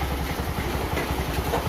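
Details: Yamaha Mio 125 scooter that had been hard to start, after a new battery and a new relay were fitted: a steady even putter at idle with a regular low beat, no misses or knocks. It starts and idles normally.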